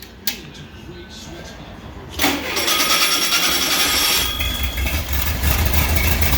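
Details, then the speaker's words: VW 1600 single-port flat-four, EMPI GTV tribute, on its warm-up cycle with distributor timing not yet set: after a quiet stretch it catches and settles into an even, crisp run with throttle blips, no knocks or misses; healthy. "Not bad for a little 1600 single port. Of course, it's on a warm-up cycle right now."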